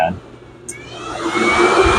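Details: Yamaha YXZ side-by-side, key on, engine cold (about 71 degrees), fans manually triggered via grounded override wire: sharp relay click, then airy whoosh building as radiator fans switch on; normal fan operation.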